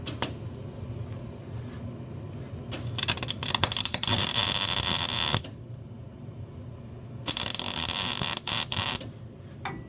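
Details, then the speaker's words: Welding on a rat rod steering box: two short bursts of thin, sputtering arc crackle that never settles into a steady buzz and doesn't stick; weak welding arc from poor ground connection. "You hear how weak that sounds? Yeah, it's definitely not getting a good current."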